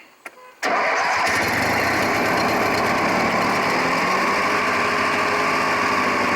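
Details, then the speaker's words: Craftsman 18 hp opposed-twin riding mower after starter solenoid replacement, started with choke pulled: brief crank, catches cleanly, settles into steady even run; healthy start. "that was a lot better I should have knew better than trying to start without the choke on"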